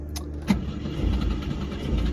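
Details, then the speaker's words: 1964 Volvo 122S Amazon wagon, B20 engine with twin SU HS6 carbs, woken after over 2 years stored; air cleaners off, starting fluid sprayed down each throat. A sharp click, then uneven low chugging as it half-runs about 2 seconds, making oil pressure. "because it went ahead and made compression, or not compression, went ahead and made oil pressure in all of about 2 seconds of half running."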